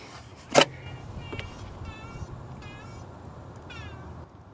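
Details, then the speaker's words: Ford Explorer with the belt removed, water pump turned by hand: short high chirping squeaks like a cat's meow from a worn pump bearing; alternator bearing sounds okay. Water pump is going bad. "oh yeah the water pumps going I don't know if you can hear that yeah I knew it's the one I know it's the water foam"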